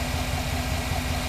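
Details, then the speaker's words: 2009 Chevy Silverado idling after replacing faulty idler pulley and motor mount work: smooth even idle with steady low rumble, no whine or chirp from belt drive; normal idle, whine gone. "done start from Finish no whining under the hood no more no problem"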